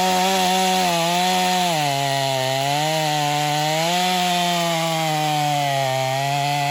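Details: Stihl MS250 chainsaw test cut after a carb tuning job for not restarting when warm; tuned pretty rich for break-in, possibly slightly low compression from fines. Strong buzz dips and recovers in the wood, pulling hard with a slightly rich, burbly edge. Normal cutting under load.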